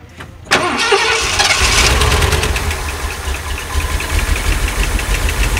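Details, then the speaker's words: 1979 Ford E350 Scamper motorhome with a 460 big block, first start after sitting, on fresh fuel with the carburetor leaking: cranks and catches, then idles with a busy, fast valve train clatter; it has oil pressure, hoped to quiet down. "making a lot of valr noise hopefully that quies down in a minute"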